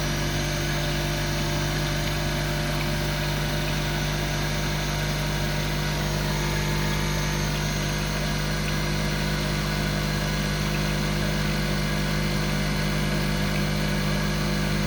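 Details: Spin dryer at 3200 rpm, shaking and walking across the floor: loud steady ringing drone with harsh rattly edge like a vintage fire alarm bell; heavy drum vibration, loud vibration whine.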